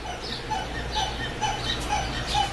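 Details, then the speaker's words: 2004 Yukon with the bumper pushed down repeatedly: a high chirping squeak about twice a second in time with the body movement, the same squeak heard while driving; it seems to come from the front suspension, exact source not yet found. "And that's what I hear when I'm driving, and I'm gotta get rid of that noise. Mostly to trying to stop this squeaking sound from our 2004 Yukon."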